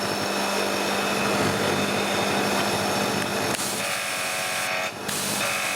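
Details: Annovi Reverberi pressure washer after freeing a jammed valve and oil change in motor and pump: steady pump drone with whirring hiss, even tone shift as pressure rises 600 to 1000 psi; normal running with working pressure regulation.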